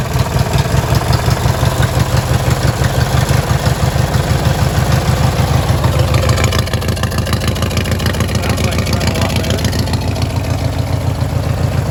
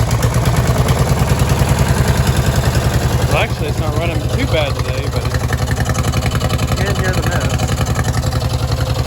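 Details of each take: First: Li'l Red twin-cylinder tractor, choke still not working right: loud, even low thumping at steady speed with no stumbles or misses; running is clearly improved, normal. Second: Peerless 820 two-cylinder tractor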